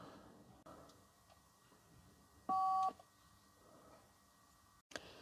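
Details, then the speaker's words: 1994 Rolls-Royce Silver Spirit III, ignition on: the hidden keypad in the armrest (believed to be a digital phone) gives one short steady beep when the bottom-left button is pressed, but nothing lights up and the other buttons do nothing; the fault is unknown. "So it makes a beeping noise if you press that. It's not lighting up. I've tried these buttons here. Nothing's happening. But if you press that bottom left one, beep, something's trying to do something."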